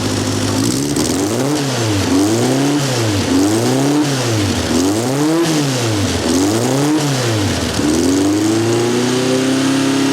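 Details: Vandiemen RF-85 with Pinto 2L engine, Weber DGAV 32-35 replaced by DGAS 38/38 carburetor tuned with AFR gauge to about 14.3: repeated throttle blips rise and fall cleanly back to idle, no stumble or hesitation; normal throttle response, runs very smooth.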